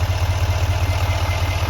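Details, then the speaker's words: 2020 GMC 2500HD AT4 6.6L Duramax diesel: deep steady idle with even pulse, no knocking or ticking; normal healthy idle. "So no knocking, no ticking, sounds good, looks good, everything's stocked there."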